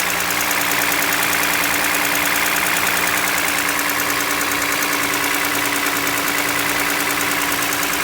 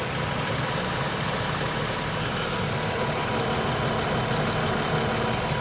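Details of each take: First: Toyota Highlander 2GR-FE V6 petrol, 150,000 km, cold idle: light, fairly regular piston knock over the steady hum, worst cold; no oil consumption per owner and no leaks. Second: Toyota Highlander 2GR-FE V6 after overhaul for cold piston knock, started at minus 40 outside: idles perfectly smooth and quiet, only light even injector tick, no knock from the rear lower area where the piston previously knocked.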